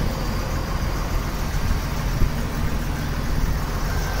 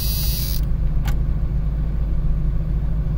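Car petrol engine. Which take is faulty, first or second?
first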